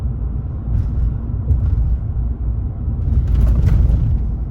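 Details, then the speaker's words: 2019 Chevrolet Silverado 5.3 L V8 with Active Fuel Management disabled by a Range Technology AFM disabler (advertised only up to 2018), running on all eight cylinders through aftermarket bullet exhaust: deep, even loping burble with no drone or misses; normal. "far so good I'm liking this it's nice to have a full v8 all the time"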